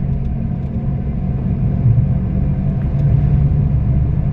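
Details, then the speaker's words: Maruti Alto 800 driving around 40–50 km/h: heavy, deep rumbling drone, abnormally loud growl drowning out the speakers, plus bad engine noise; cams later removed for inspection. "एक तो engine का sound बहुत खराब है इसका और plus देखो इसे जैसे अपन 4050 चला रहे हैं तो देखो इसकी आवाज देखो शायद मोबाइल में आ जाएगी घघ बहुत तेज आ रही है"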